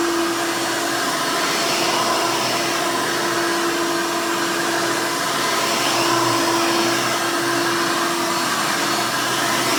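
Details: 1991 Hoover Elite 350 upright vacuum, model U4463-9, motor-swapped with a later 7-8 amp motor, louder than stock: loud steady high-pitched motor scream, constant tone, no rattle or surging; motor running normally.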